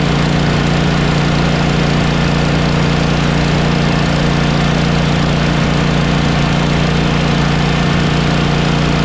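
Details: Mower small engine at a steady idle with a distinctive hissing, puffing whoosh on each firing pulse; gas visibly blows out where the head gasket is blown.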